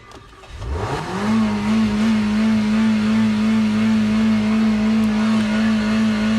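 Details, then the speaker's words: Engine flares on start and holds a high, steady rev while the brake is held; the floor mat is jamming the accelerator pedal, so the car takes off on its own. "oh I already figured it out boys I already figured it out it helps if you don't put your your mat there on you God gas pedal"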